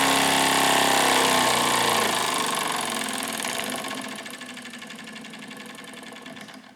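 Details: Wilesco D455 tabletop stationary steam engine, at temperature, throttle opened to max RPM: fast, even chuffs at about four beats a second, then easing off and fading. It throws oil from its total-loss lubrication. Normal high-speed running.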